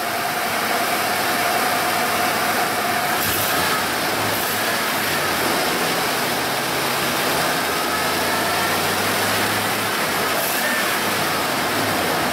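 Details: 1995 Ford F-150 5.0L after fixing a single-cylinder misfire (a Subaru plug wire is fitted on that cylinder). The engine settles into a steady, even idle with no stumble or skipped beats over background hiss; normal idle.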